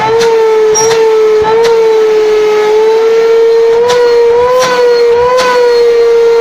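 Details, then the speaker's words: Rowenta 1700 W vacuum cleaner brought in for loud humming, after cleaning and awaiting a new internal filter: steady clean mid-pitched motor drone with a few handling clicks; good suction, running normally. "Сами видите, тянет хорошо."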